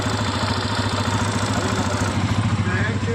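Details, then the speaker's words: TVS Apache RTR 160 FI BS6, about 5000 km, idling: light quick ticking from top of engine, loose valve tappet clearance; tank to be removed to adjust. "इसमें टिकटिक ट ट टिक करके आवाज आ रहा bike के अंदर से उस आवाज को मुझे खत्म करना है"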